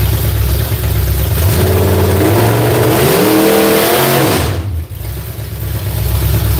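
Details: V8 on an ignition box being tried is revved up and back with a lazy, flat climb and uneven pulses, sounding sluggish. Flames were seen from one side when run up; ignition timing is suspected, not confirmed.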